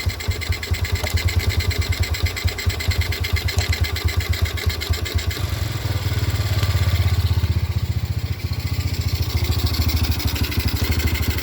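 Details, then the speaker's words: Yamaha Jupiter Burhan fitted with a Honda Grand carburetor in place of the original, air screw set at 3.5 turns: steady, even single-cylinder putter at idle, regular firing with no misses or hunting; carburetor idling cleanly. "Ini agak enggak kelihatan ya teman-teman, tetapi ini motor sudah bisa langsam. Angin-anginannya kita setel 3,5 saja."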